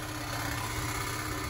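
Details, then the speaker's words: Nissan Xterra idling, heard from underneath: busy, tinny buzz over the low rumble from an exhaust heat shield rattling because its holding bracket/clamp is broken; fixed by replacing the clamp with a plumbing clamp. "you have a bracket that is broken that holds that heat shield and that's what we're going to be replacing here shortly"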